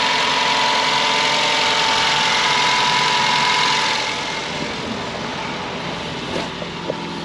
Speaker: So yeah, I have already started it up. That sounds alright. Start it up. It sounds alright.